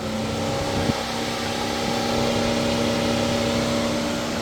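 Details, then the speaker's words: 2019 Mercedes-Benz C300 with codes P0483/U062387, key present but engine not started: the radiator fan runs at full speed with the vehicle off, a steady, loud whooshing roar with constant hum. Cause not yet confirmed. "So its fan will start working at full speed. See, I did not even turn it on and it started"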